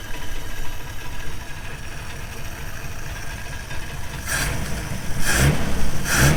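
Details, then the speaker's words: 1953 Plymouth barn find, sitting perhaps 10 years, jump-started with corroded cables replaced for its first run: low, steady rumble with an uneven beat about 2.5 per second and a few sharp bumps near the end; idling. "Well, [Applause] [Music] it wants to turn. It wants to start."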